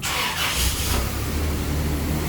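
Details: Toyota Hilux, 3RZ-FE 2.7 L four-cylinder, 370,000 km, first start after replacing the slipped harmonic balancer, in neutral with handbrake on and coolant flush in. Starter whirs briefly, then an even, steady low idle with no knocks or misses.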